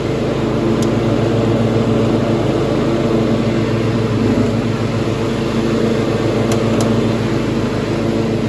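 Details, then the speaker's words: 1995 Craftsman LT4000 lawn tractor after engine removal and sump gasket replacement: steady, even idle with a smooth low putter, no knocks or misses; idling properly. "So yeah, all right, let's but I mean, yeah, it's idling nice. I mean, I could lower it a little bit, but that's about good."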